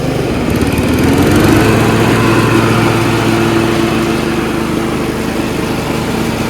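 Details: Yard Machines 38" riding mower, 13.5 HP Tecumseh engine, running: steady single-cylinder thrum at an even fast beat, no misses or knocks; normal running. Owner suspects possible carb issue after an earlier stall.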